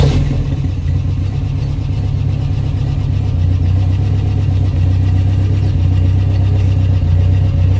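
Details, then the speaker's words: 1993 Toyota pickup 22RE with a newly installed Redline Engine Builders Beast camshaft, true first start before break-in: deep, steady idle at about 1,000 rpm with an even low rumble and barely any cam lope yet; running smoothly. "Doesn't sound much chop yet."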